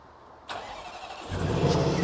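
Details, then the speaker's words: Range Rover Sport SVR, replacement 5.0 L engine, after entering a new PIN: quick crank that catches cleanly and settles into a firm, even idle, not cutting out with foot on brake; healthy start. "I will put my foot on the brake and it doesn't cut out right yes Johnny yes so oh nice one mate"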